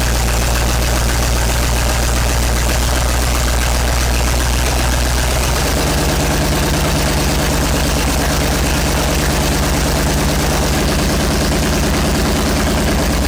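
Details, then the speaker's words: 1970s Sleek Craft jet boat's Oldsmobile big-block V8 with fresh oil, warming up while initial timing is set with a timing light: loud, lumpy idle that shifts to a faster, busier beat partway through; running steady and strong. "I've got my timing light out. We'll set our initial timing and stuff while this thing's warming up."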